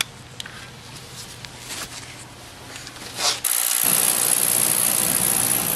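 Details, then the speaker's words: Beckett oil burner with flame retention head, fired after nozzle discussion (GPH and spray angle). Quiet clicking, then the burner lights with a soft whoosh and settles into a steady, even roar, firing cleanly and running normally. "there you go. We fire it up."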